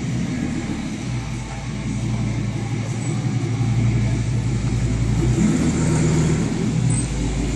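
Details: RoadAbode with its catalytic converter missing, before replacement; deep, loud, raspy exhaust drone swelling slightly with revs, louder than stock.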